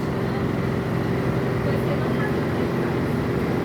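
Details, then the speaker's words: Air conditioner indoor unit's blower fan motor wobbling without support, loud steady rumbling drone; cause was the worn fan motor mount (cushion); after replacing it the unit became quiet. "situação do motor ventilador está sem apoio balançando muito as turbina olha o barulho que está fazendo"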